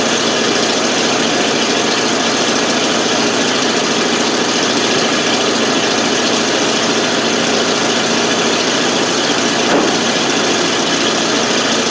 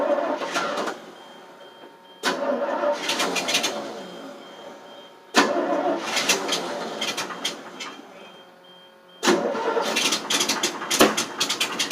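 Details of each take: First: 1988 FMC 6000, 5-speed in neutral, exhaust clip after a hard start caused by no fuel reaching the carb, started with starting fluid; steady even idle on its own with raspy exhaust note, no stumbling; normal idle. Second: 1988 FMC 6000 with 5-speed, battery on booster, cranked with the clutch in: four separate bursts of cranking, each a few seconds, and the engine never catches. Hard start because no fuel was reaching the carburetor.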